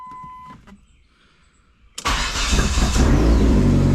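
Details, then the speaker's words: SRT-4 with a no-start, SKIM theft light stuck on and no ECM communication, after swapping the front engine bay fuse box and dash harnesses: a chime and quiet, then the engine fires and settles at once into a strong, even idle; a normal start. "Oh my goodness! Listen to that! There it is."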